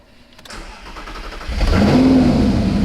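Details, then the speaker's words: 2015 Audi R8 manual, 150,000 miles, first start after engine rebuild following a failed engine; quiet crank, then catches quickly into an even, strong rumble with no knocks or rattles: normal engine start. "okay they fired up really quick and happy so that's it that's a good sign"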